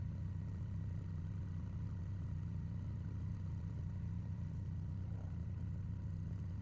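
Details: Honda Shadow VT750 V-twin after its carburetors were removed and the pilot jets cleaned, with the fuel tank refitted before a test ride: steady, even low thump at idle with no knocks, misses or hunting. Healthy, settled normal idle.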